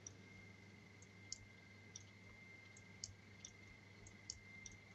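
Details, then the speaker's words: Opened relay with casing removed, coil energised on and off: crisp light clicks at uneven pace under one a second over faint hum, armature snapping; normal relay clicking. "perhaps you can also hear it clicking as it uh changes from off to on"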